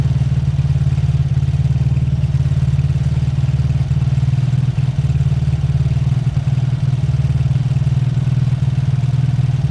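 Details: Beaten-up old Lexmoto motorcycle, many parts missing, warming up at idle right after first start once fuel got through; steady, even single-cylinder low thump with no knocks or rattles, idled about 5 minutes to circulate oil. Normal warm-up idle.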